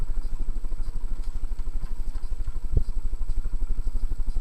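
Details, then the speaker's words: SMC ceiling fan at medium speed, about 145 RPM, steady low rumbling clatter from noisy worn motor bearings, a common problem on SMC fans. "one problem this fan has that's um really bugging me that the bearings are very noisy and that's not the camera shaking by the way that's the fan yeah you can hear the bearings are um quite loud"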